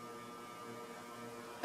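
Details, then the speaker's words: Antique Diehl ceiling fan from about the 1920s with a 40-cycle motor, on medium/high speed: constant deep electrical hum with a steady buzz or whine and no speed rise; the motor hums loudly and runs too slowly, cause unknown. "and this thing hums insanely L yeah Mak a lot of noise I'm going go to medium already"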